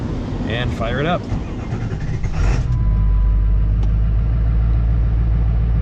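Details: 2002 Ford Excursion 7.3 Powerstroke diesel after replacing A/C compressor, accumulator and orifice tube, started to add last refrigerant can, A/C on max: brief rough start then steady deep idle, no knocks or squeals; normal running.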